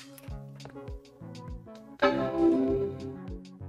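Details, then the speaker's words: Classic Mac LC 475 powering on with the external speaker plugged in: one clear, bright startup chord rings out over soft clicks and fades smoothly, a normal startup chime. "great we get the chime fantastic"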